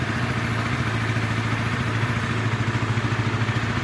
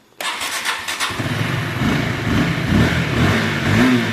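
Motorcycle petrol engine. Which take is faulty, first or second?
first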